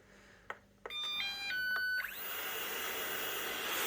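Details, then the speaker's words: Eufy RoboVac with four-beep/red-light roller brush fault: short electronic alert tone then brush motor whir as the upside-down robot senses its orientation after the front sensor is covered; upside-down error alert. "now it's kicking off because obviously it's upside down so I'll just do that again"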